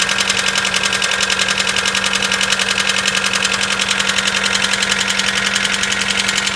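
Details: Mitsubishi 4G94 engine at cold start: sharp, even metallic ticking at roughly two to three per second over a steady idle, loud and crisp. Cold-start knock of unknown cause.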